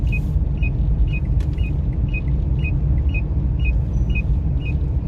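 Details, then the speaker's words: Kia Sorento XM 2.4 petrol crossing speed bumps after front and rear stabilizer bar bushings were replaced: a low, steady cabin rumble with no knocks, clunks or suspension noise. "съездил я знаю считался сервис поменяли втулки стабилизатора передняя также задняя и вот что вкусно говоря проезжая лежачие полицейские никакого шума постороннего нет"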